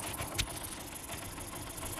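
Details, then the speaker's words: Motorcycle after timing chain tensioner adjusted anticlockwise to fix months of knocking/tick noise: quiet, even idle with no top-end tapping. Normal idle. "इस cotton का आवाज जो है वह खत्म हो चुका है वहीं ऑफिस की आवाज यहां पर नहीं आ रही है"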